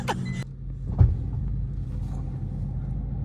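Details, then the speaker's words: Project car with fuel leak from injectors, timing belt and plugs not yet done: low, uneven idle rumble with a dull thump near one second; rough running, cause not yet pinned down. "Damn, it sounds like shit."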